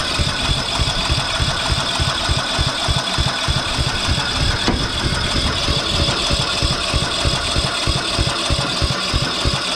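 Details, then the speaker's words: Briggs & Stratton 12 hp ride-on mower engine on starting spray: uneven lumpy chugging about three beats a second, stumbling rather than settling; owner suspects the carburetor needs cleaning. "okay every bit of spray the cab is probably gonna have to be clean here but we're gonna"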